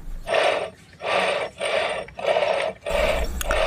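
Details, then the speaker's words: Yamaha Mio M3 scooter, final-drive gearbox, earlier rough with a cracking noise when easing off the throttle. Gears are hand-turned after reassembly with oil, before the cover goes on: light even whirring bursts, no crunching, gears meshing cleanly. "Nah kalau enggak ada suara krekkrek itu berarti aman kalau stkstk ini emang seperti ini ya teman-teman ya"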